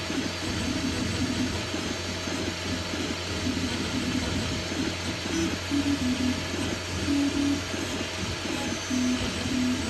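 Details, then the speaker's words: Anycubic Mega S 3D printer on Klipper with some calibration but still on stock stepper drivers, printing: constant buzzing with warbling musical tones changing pitch with each move; loud stepper noise, probably to be solved by changing the drivers to TMC2209. "it's the first player and uh sound that it makes so the printer makes a lot of noise and uh this I will probably resolve with uh just the changing of the drivers"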